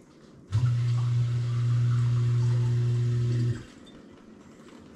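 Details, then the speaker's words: GE GDF520PSF6SS dishwasher drain pump, grinding earlier caused by a chunk of melted plastic from the broken top sprayer, now cleared: steady, smooth low hum for about three seconds with no crunching or rattle; normal drain pump operation. "right it is pumping and it is not [Music] crunching we have success"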